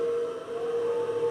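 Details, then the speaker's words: Belttt 1500 W 12 Vdc to 120 Vac inverter just switched on, fed by a 12.8 V battery: steady even mid-pitched cooling fan whir, no rattle or speed change; fan running normally. "Entonces, si pueden escuchar el sonido del ventilador, se escucha el"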